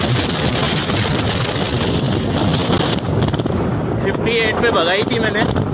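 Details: Ola S1X 3kW Gen 2 electric scooter cruising at 58 km/h: a thin, steady, high whistle from the motor over heavy wind rush, cause not identified.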